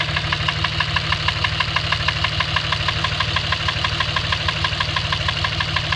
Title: Dodge ram engine knock